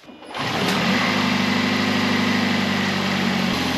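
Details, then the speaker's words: 2008 Toyota Prius Gen 2 engine started after connecting rod bearing replacement done with the engine in the car: smooth, even idle, rod knock gone, faint exhaust leak puff. "pretty good all right here is a little exhaust leak but I don't hear that knocking noise anymore"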